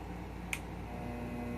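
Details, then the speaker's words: Treadmill motor with torque control, for probably 1940s Delta drill press variable-speed conversion, switched to forward clockwise with potentiometer unchanged: low, even hum at constant pitch, earlier slight whine gone; normal running. "it picks up the other direction and now you notice that the little wine is gone and it'll run all day just like that"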